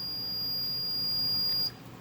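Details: Maytag A7300 washer lid switch under continuity test: steady high meter beep for about a second and a half, then cuts off; lid switch closed, circuit completing.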